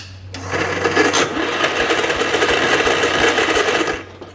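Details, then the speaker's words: 1967 Gravely 430, one-owner, sat outside for years: harsh metallic clattering at about three per second while cranking, engine never fires and no spark; racket believed from a starter that didn't engage right away. "surprise surprise we don't I believe that racket is the starter I don't know if you guys noticed it didn't engage right away there"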